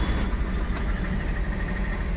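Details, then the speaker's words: MG Hector, towed in after sitting, ignition on, starter held: steady even cranking that never catches; no fuel delivery, traced to a failed fuel pump. "Engine round ले रहा है लेकिन start नहीं हो रही है। बराबर है वापस से इंजन राउंड ले रहा है लेकिन स्टार्ट नहीं हो रहा।"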